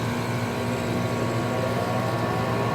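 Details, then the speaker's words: 2007 Trane XB13 5-ton central air conditioner condenser at startup: a steady low hum and fan rush settle in evenly, with no clanks or rattles. Normal startup. "It's a good thing I caught this one starting up. Yep, yeah, it sounds like a stroll. So this is a nice unit actually."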